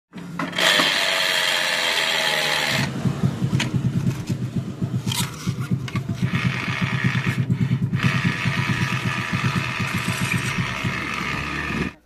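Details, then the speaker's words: Yamaha Mio Nouvo scooter final drive (ratio) gearbox turned by hand after CVT case cleaning: dry, gritty, even rattle; besides the pulley bearing, the final drive bearing is also worn and rough. "jadi selain bearing puliskondari yang kena bearing ratio juga ikut kena ya teman-teman Ketika saya putar itu timbul suara kasar"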